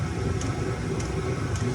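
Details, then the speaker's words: Chinese diesel heater after mainboard replacement: steady low fan roar with crisp fuel pump tick about every half second, running evenly; original fault was shutting down with pump stopping once warm, owner suspected the mainboard. "I can hear it that's not the issue the issue was it was getting it was working getting warm and then shutting down"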